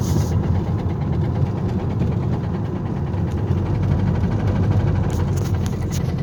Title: driving with rod knock